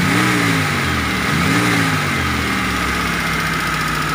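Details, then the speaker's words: Toyota T120SS injection, after repair of a dented oil pan that pressed the oil pump pickup against it: engine blipped from idle rises and falls cleanly, and the flute-like shriek on acceleration is gone. "bro suaranya hilang ya suara serulingnya sudah tidak ada"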